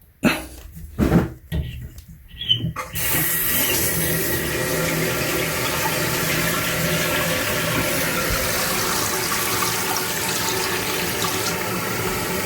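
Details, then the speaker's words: Toilet after replacing the leaking fill valve with a new one whose water level was adjusted, refilling the tank: steady even hiss with no whistling, hammering or sputter, quieter than the old valve, working normally. "pretty quiet compared to the old one"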